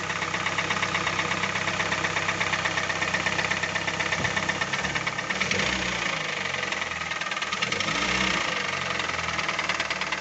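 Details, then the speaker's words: Hyundai i40 2.0 G4NA petrol, 41,000 km, running with a loose, uneven knock about two to three a second; teardown found cylinders 1 and 4 badly scored (2 and 3 fair), causing the knock; block bored for repair. "смотрим первые 4 цилиндр задиры 2 3 более-менее первые 4 ужасном состоянии от чего и был стук"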